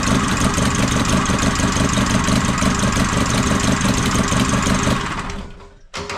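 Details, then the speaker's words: Ford Transit 2.5 diesel, first start after engine reinstall and repair: clattering idle with unsteady lumpy beat, then dies; air leak somewhere in fuel system, owner suspects old rubber hoses near tank. "двигун запускається працює не ідеально як виявилося в чому проблема проблема в тому що десь є підсос повітря по паливній системі"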